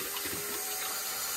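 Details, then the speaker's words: Construction machine diesel after fitting a new lift pump, filling filters while bleeding: steady, hissy rush of fuel with no sputter or gaps, flow noticeably stronger than before; normal fuel flow. "right so we're going to fill the filters up now I've got my vice grips on there a going to help right see that filter is filling"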